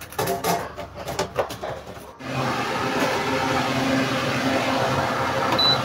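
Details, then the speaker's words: Electric fan that ran slow and noisy even on speed 3, after replacing the 1.5 capacitor and cleaning the stiff shaft: after some handling clatter it settles into a smooth, steady hum with no scraping or labouring, running normally. "Wala na yung ingay niya, no? Nawala yung ingay niya."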